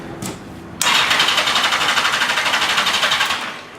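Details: Yamaha XJ650 motorcycle after 30–40 ml transmission fluid poured into the cylinders to free a suspected sticky valve (was running very rich, black smoke, stalling when warm): starter churns in quick even beats, about four a second, for three seconds and never fires.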